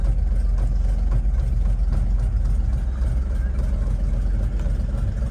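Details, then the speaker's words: 1964 Chevrolet C60 grain truck, inline 292 six, just started, not yet warmed up, decent oil pressure, charging 14 volts: deep, even idle with steady low thump, no misses, knocks or hunting; normal idle. "We got decent oil pressure. Especially for just idling a little bit. And we are tickled pink at this time."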